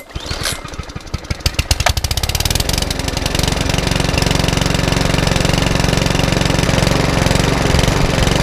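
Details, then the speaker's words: Mountfield HP164 lawnmower: pull-start, a few ragged beats, then it settles into a steady, even putter; the hunting has stopped after a 10-15 minute test run. "okay it's about little Mountford Walmart is now up and running exactly how it should do I give up the 15 10 15 minute test and the hunting has settled right down all together"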